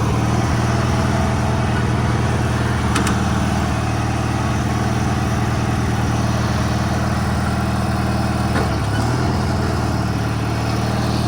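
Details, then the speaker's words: 1985 riding mower, small engine with brand-new carburetor, Seafoam added: low idle loping unevenly, about two beats a second with uneven firing; owner suspects idle speed needs adjusting. "but it's a brand new carburetor so I think uh just needs idle speed adjusted"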